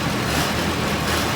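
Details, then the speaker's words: 1914 Detroit-made Princess car, first run after about 100 years stored, rebuilt magneto and carburetor, hand started: steady, even busy note with no knocks or misses; motor sounds good. "Motor sounds good."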